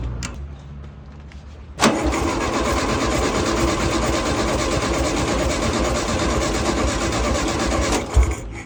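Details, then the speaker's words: Long-abandoned, rusted VW-based dune buggy with a VW engine, first start after repair and an oil change. It cranks briefly, then settles into a steady, even idle with no knocks. A leak was later found at the front carburetor's tube connection. "Mbaruam, motori është okay, ndruam dhe vajin, por na doli problem."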